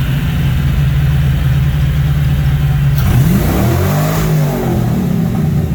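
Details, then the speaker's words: Fox Body Mustang track car, newly running after fuel and cooling system work: a steady deep idle, then a quick rev that climbs and falls back smoothly. Loud but clean exhaust, no knocks or rasps; a normal, healthy exhaust note. "Pretty cool though. For like a track car, like it's loud, but it's not horrible. Not obnoxious."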